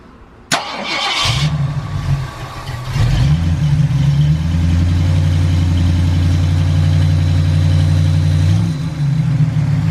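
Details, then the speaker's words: Ford Galaxie with suspected heat-related fuel issue (fuel line very close to heat), restarted after cooling off: brief crank, catches, settles into steady even low idle without stumble; makes fuel pressure, starts normally. "i bet you now that it's cooled off it'll actually run just fine so we're gonna try it"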